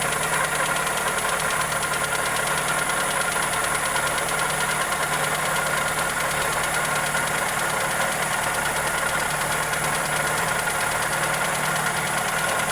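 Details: Toyota Corolla EE90 with 2E engine at steady idle: fast light tick over busy engine noise, even and unchanging; valvetrain or connecting rod knock suspected, not confirmed.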